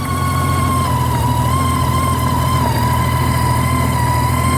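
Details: 2008 Honda GL1800: a loud, steady high whine rides over a deep, even engine drone and holds its pitch throughout; alternator whine suspected, unsure whether it is bad or livable.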